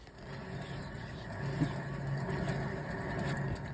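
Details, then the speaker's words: BMW 123d 1 Series E87 on ramp, near side rear wheel bearing worn: steady low droning rumble from the spinning rear wheel, like a cement mixer; sounds horrendous. "I'm not gonna lie, this thing sounds horrendous."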